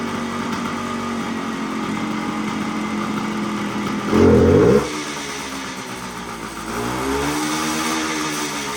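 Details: 1975 Suzuki TS125 two-stroke, stored for a while; previously broke up past half throttle. After turning in the air screw, warm: steady idle, one quick blip returning cleanly; smooth, even, healthy.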